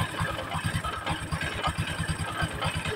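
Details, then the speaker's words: Honda Supra X 125 with a newly replaced clutch bell and centrifugal clutch shoes, idling; uneven chattering with loose knocks about every quarter second from the clutch area, cause not yet found before teardown; rough idle rattle. "Di sini pada saat kita hidupkan ya teman-teman, suara mesin khususnya pada area kopling ya, suaranya kemelotok banget."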